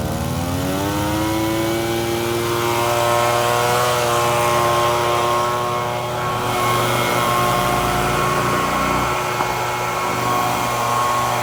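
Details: FUXTEC FX-LBS126P leaf blower (2018) that would not start, after replacing a cracked fuel intake hose: small two-stroke holds a steady high buzzing note at throttle, smooth and even with no stumbling; running healthy.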